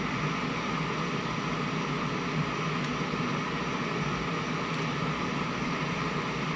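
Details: Steady, unchanging hiss in the right channel of a 1971 JCPenney 1758 solid-state stereo, traced to TR20's collector near C142/R110. Moving the parts and freeze-spraying TR20 make no difference, so the culprit is not yet pinned down.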